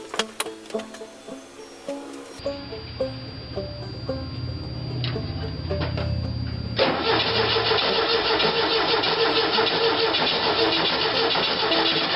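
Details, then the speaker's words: Engine with a carburetor, started with the coil hot-wired to the battery and possibly no resistor: a few cranking turns, then it catches and settles into a steady, even idle with music behind. It runs well, but the coil gets hot. "that sounds pretty good yeah there is some heat to that coil"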